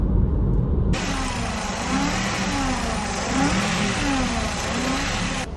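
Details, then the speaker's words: 2008 Nissan X-Trail 2.5 with a CVT repaired 30,000 km earlier, parked at idle then revved: a low drone that rises and falls only with engine rpm and is unchanged in P, R, N and D. Not the CVT; the alternator is suspected and diagnosis recommended. "похоже на генератор Это не связано с вариатором Потому что когда я меняю режимы движения то есть вот сейчас нейтраль гудит включаю драйв гудит точно так же ничего не меняется паркинг точно такой же гул реверс гул зависит только от оборотов"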